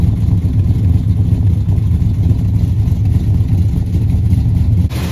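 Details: 1976 Dodge Dart Swinger 340 V8 before tuning, small exhaust hole left unwelded: deep, steady rumble with clean revs, no ticking or puffing from the exhaust; sounds sealed and healthy.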